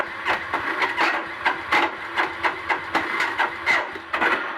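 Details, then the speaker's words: Suzuki GZ250 cranking with the clutch lever in: uneven cranking with irregular slaps and gritty grinding bursts about once a second as the spring-and-roller starter clutch catches and slips. "if you hear there's a bit of a it's catching and spinning cranking over a little bit but there's also kind of a slap and sort of a grind sound it's essentially the mechanism which allows the starter clutch to grab hold and spin the engine over"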